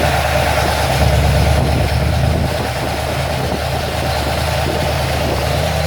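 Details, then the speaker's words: Ford XC Fairmont 351 V8 on engine running stand with newly fitted Thermoquad carb, choke not yet set, initially smelled very rich; deep steady burble at idle, slightly uneven but no knocks or misses — normal idle, runs well. "got to be happy with that I think that runs well so I'm not going to set the choke up on the engine St"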